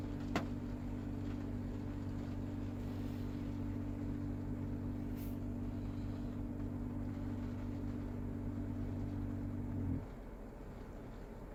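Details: Toyota Mark X GRX130: a steady low droning hum with several even tones holds about ten seconds then cuts off abruptly, an abnormal air-conditioner noise of unknown cause.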